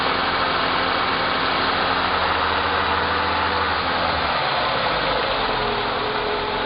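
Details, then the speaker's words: 2011 Renault Logan in fifth gear: steady drone with a low hum that fades as speed drops, from the right-side wheel; suspected wheel, CV joint or gearbox bearing, not yet confirmed. "Vira agora o barulho. Esse barulho aí. Agora vamos dar autorização com o dono, né? Pra gente verificar realmente roda, mocinética ou o rolamento da caixa de marcha."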